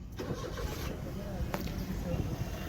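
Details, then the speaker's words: Maruti Suzuki Alto after its manifold was resealed to cure a loud chirping noise and high rpm, with the belt refitted: the engine catches and settles into an even, steady idle with no chirp or ticking over the low rumble. Problem solved, sounds healthy. "तो यहां सुन सकते हैं दोस्तों हमारा problem जो है solve हो चुका है और मैंने इधर से बेल्ट वगैरह भी लगा दिया है। और इंजन स्टार्ट है।"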